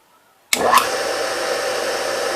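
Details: Single-phase 2 HP (2CV) high-voltage motor, bench-tested with an ammeter: silence, sharp switch-on, quick run-up to a steady even hum; inrush current high, then dropping to twenty-odd amps; a healthy start.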